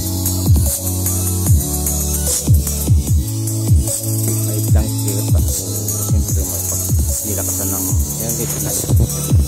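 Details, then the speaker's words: JBL Xtreme speaker after cleaning and gluing its cracked speaker cone: music plays clean and full with deep bass and crisp highs, no rattle or buzz; sound restored. "Ang ganda ng tunog yan lang talaga. Basag lang talaga yung speaker yan na sa dikit-dikit."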